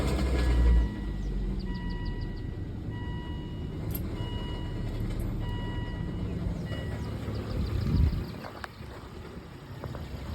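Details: 2003 Volvo V70 just started, cold idle: deep growl underneath with a hissing, high screech rising through the middle; growling and screeching noise, cause not identified.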